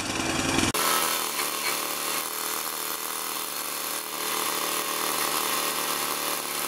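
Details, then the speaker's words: Tecumseh 3.5 HP mower engine, test run after reassembly: high, ragged buzz with beat stumbling about three times a second, hunting instead of holding speed; ran better with intake restricted, owner suspects a missing small gasket. "it ran a little erupted a little better when the input is restricted I don't know what was choking up"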